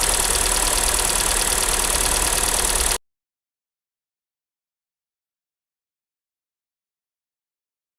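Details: New Hyundai Tucson on factory oil, cold start: a quick, even, ringing metallic ticking over the idle that disappeared once warm. Cold-start ticking; went away after an oil change at 1,500 km to GT Oil Energy SN 5W-30.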